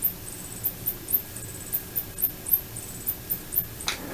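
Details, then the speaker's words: 1986 Macintosh Plus power supply on the analogue board after recapping, bench-tested with a digital load raised to 2 A: sharp ticks, about three a second and unevenly spaced, over a faint hum; the supply intermittently clicks and fails to start. "it's better it's doing this clicking noise but it's not continuous it's just clicking every now and then"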